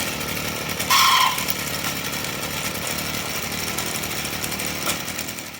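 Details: Stihl FS38 trimmer at idle: buzzy two-stroke idle with a short, sharp high squeal on top; the clutch drum bushing was found dry and needed grease.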